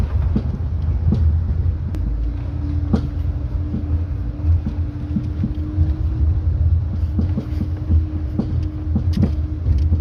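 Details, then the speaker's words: Jeep Renegade on a short test drive: sharp, irregular knocks over heavy road rumble from the front suspension, very loud; front shock absorber with internal play, removed and sent for analysis. "carro muito gostosinho de andar assim tirando a exceção esse toque toque aí chato é alto hein"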